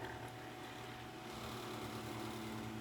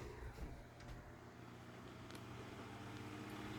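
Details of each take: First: Galaxy (Lasko) 9-inch oscillating desk fan model 2154, 1990s, on high with oscillation: steady motor hum with a light buzzing rattle; owner suspects the guard cage is a little loose, not confirmed. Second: Galaxy (Lasko) 9-inch oscillating desk fan model 2154, grey, circa 1990s, running on high with oscillation: quiet, steady motor hum with an even blade whoosh and only a few faint ticks; normal.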